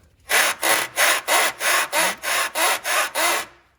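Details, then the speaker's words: Hyundai Sonata front suspension: ten loud, dry creaks, about three per second, one with each push of the arm. The noise blamed on the strut actually comes from the two worn upper control arm bushings; the upper arm assembly is to be replaced. "So we thought a lot of the noise that was coming from the car was from the strut. It's actually from these 2 bushings up here."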